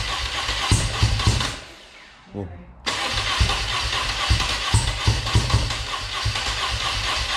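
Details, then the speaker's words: Dnepr motorcycle twin after new pushrod seals and gaskets, first fire-up: uneven chuffing, dies for a second, then catches and runs lumpy like on one cylinder; hard starting blamed on the left-hand carburettor needing adjustment. "sounds like one cylinder stands doesn't it so sometimes it feels a bit funny"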